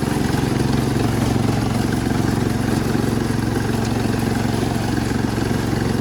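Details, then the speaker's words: Cub Cadet 1250 hydrostatic garden tractor, revived after seven years parked, small single engine pounding a loud raw even exhaust beat at steady speed; worn-out exhaust/muffler makes it very loud. "we might have a driver a very very loud driver because the exhaust is worn out but we're doing pretty good for a free tractor so far"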